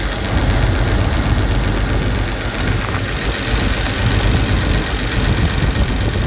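Cold idle sounds lumpy and uneven, the low beat stumbling now and then instead of running smooth, a misfire on cold start.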